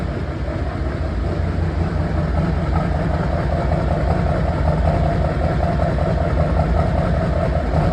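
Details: 6.6L Duramax diesel idling with a deep, heavy rumble and uneven, lumpy beat, with smoke and one misfiring cylinder; cause unconfirmed; diesel engine knock with misfire.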